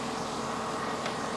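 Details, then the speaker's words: 2009 Cadillac Escalade A/C being recharged with R134a: compressor engages once low pressure switch is plugged in; steady hum and hiss over smooth idle, compressor running normally. "oh you know what I never plugged the stupid low press switch in and there it goes compressor's"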